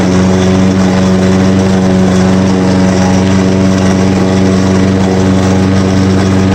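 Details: Poulan Pro lawn mower, newly bought used: small engine at steady high speed with a coarse, rough grinding edge over the drone; the source isn't evident.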